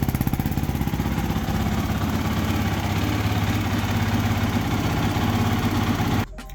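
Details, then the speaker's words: 2006 Yamaha YFZ450 quad, previously smoking with suspected loose piston rings, after fitting a new cylinder: strong even thumping fast idle, no misses or knocks, then shut off; no more exhaust smoke. "all right sounds good uh there is no smoking coming out of the exhaust again so I think we're we're all set that new uh cylinder worked great"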